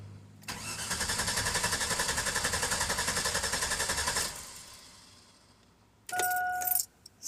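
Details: 2002 GMC Sierra: starter spins the engine at an even, brisk pace for about four seconds but it never fires. Fuel smell noticed and the fuse box was replaced; the cause is unknown.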